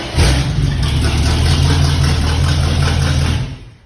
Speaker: Sounds good, man. Hit the key now. She hit the key and she runs right now.